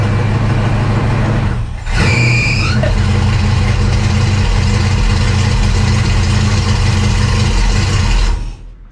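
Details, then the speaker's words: Dirt-track race car after fuel pump repair, diaphragm hook reattached, carburetor primed: catches with squeaky belt chirp as alternator charges a run-down battery, then strong even run; normal running, fuel issue apparently fixed. "Okay. I think we got it here."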